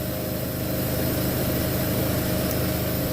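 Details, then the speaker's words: Walk-in cooler at 50°F, not cooling: a constant hiss with a faint steady hum as refrigerant flows through the metering device and distributor, with no surging and frost creeping down the lines; the thermostat was found faulty. "you can hear the refrigerant going through our metering device through our distributor"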